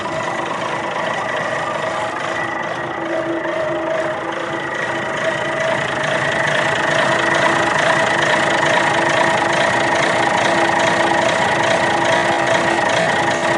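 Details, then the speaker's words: 60-year-old Clark Michigan 55A loader, believed repowered with Perkins 354 diesel, after cold start: even, steady idle with smooth unbroken beat; runs quite well, though a part is leaking heavily and to be replaced. "So as you can see, fired right up. This thing really does run quite well, but that is leaking at a rate of knots there."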